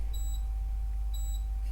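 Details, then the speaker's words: RV refrigerator at night showing code "no FL", said to mean not getting enough propane: two short high beeps about a second apart over faint room hum; fault alarm, cause not established. "that's our lovely refrigerator up until now we've absolutely loved our refrigerator now it says a no f l f ASM Frank L as in Larry"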